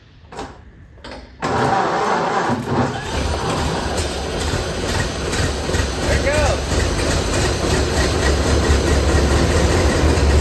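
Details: 1928 Ford Model A engine, sitting a very long time, first start on gravity-fed fuel to the carburetor: brief crank, then catches and settles into a steady, even low beat; running fine.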